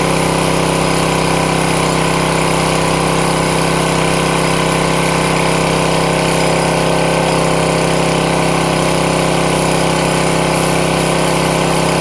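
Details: Craftsman 163cc small single-cylinder engine, previously would not start, now fixed, holds a steady, even idle with a constant hum and no misses or surging; runs normally.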